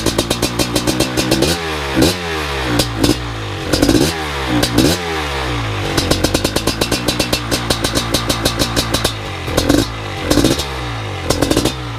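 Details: BRC 500 single-cylinder engine kit in a 2015 Husky TE 250 frame, 40 mm billet Smart Carb with TPS and Power CDI, first startup by kickstart; fires cleanly and keeps running, throttle blips rising and falling smoothly; healthy.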